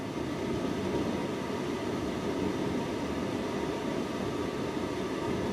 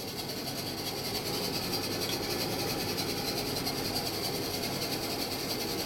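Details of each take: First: Tumble dryer with broken program dial: steady even motor whir with no drum tumble or thump behind it; motor is fine but spinning free because the drive belt is missing. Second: Washing machine test after descaler wash, front bearing pads suspected: steady even whir from the motor with no knocks or scraping; normal motor running noise.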